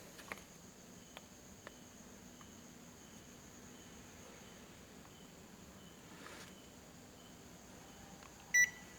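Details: Panasonic inverter air conditioner indoor unit, after cleaning: faint steady fan hiss in a quiet room, then one short beep near the end as it powers up normally.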